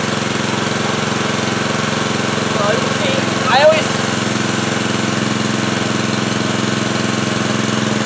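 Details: Pressure washer, fairly new and little used, whose motor ran but pump didn't: after checking the pump o-rings and bleeding air from the lines, the engine holds a steady, even drone with no misses, surges or knocks.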